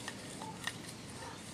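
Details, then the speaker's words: Toyota Tarago/Previa/Estima TCR10: a used replacement water pump turned by hand, near silent with faint handling clicks and no play. The old pump's bearing had unseated, ground against the pump and leaked. Healthy pump. "no sound at all. It's a good pump. There's no movement in that at all."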